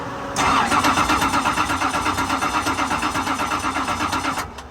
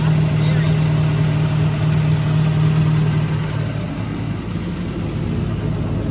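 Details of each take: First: Roush Yates R452 V8 NASCAR stock car being converted to drift car, long-sitting with degraded sludgy oil, battery near 12 V: starter cranks steadily about four seconds but never catches; spark confirmed, fuel delivery still to be checked. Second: 2003 Ford Taurus NASCAR stock car, Roush Yates carbureted V8, first start after oil system work: deep loud rumble holds firm then settles slightly lower without stumbling; ignition firing cleanly, carb working without cleaning.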